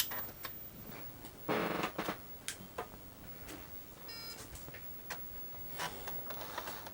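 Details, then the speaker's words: Microbyte HC120, an early-'90s Australian XT clone, booting after repairs: irregular dry ticks and chattering bursts in a quiet room. The very noisy hard drive is seeking but booting normally. "And it's booting up fine with its very noisy hard drive."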